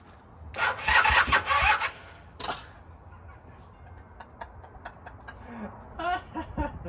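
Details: 1978 Honda CB400A Hondamatic that sat outside 10+ years, seized engine freed: short bursts of starter cranking with pauses, turns over but never fires.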